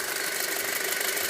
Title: 2.0T FSI ticking noise